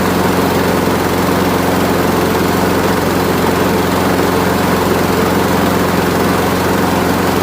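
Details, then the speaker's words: Craftsman Gold mower, Briggs Quantum 6.75 engine, low fuel, dusty air filter: came up to speed after brief slow running; smooth even buzz at steady speed, no misses, surging or knocking; running healthy. "So it started up, it ran slow for a little bit, and then came right up to speed."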